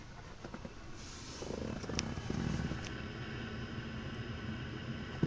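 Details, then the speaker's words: Parked, switched-off 2004 Range Rover HSE; a soft, steady low whirr like a small fan comes from the front passenger side, and the alarm randomly goes off. The source is unexplained. "front almost sounds like a fan and the car is randomly just the alarm system just goes on"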